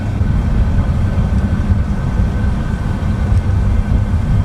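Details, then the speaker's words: Toyota Corolla daily driver driven over bumps after suspension work, ride height unchanged: steady low road and engine rumble, no clunk or rubbing; suspension quiet and tight. "Yippee. Over that bump, no clunk. Ooh. Over that bump, no clunk, no rubbing, of course, because nothing is changed from the last time I adjusted height."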